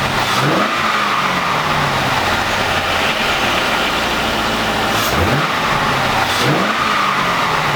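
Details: C5 Corvette V8 first start after 4+ months of repairs (harmonic balancer and front subframe replaced), in neutral: settles to smooth, even idle with a couple of clean throttle blips; runs healthy.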